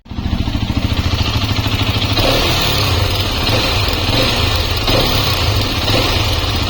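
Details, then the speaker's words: Hero XPulse 210 single-cylinder motorcycle at about 4,600-4,700 km, after first service the owner considers poorly done: fast uneven pulsing and rough mechanical rattle over exhaust, recorded three days earlier; cause undetermined. "So ఇంకా కొత్త issues వస్తున్నాయి బండిలో. But ఇప్పటికైతే ఇంకా ఇప్పటిది కాదు, last 3 days back sound ఇది కొంచెం వినండి."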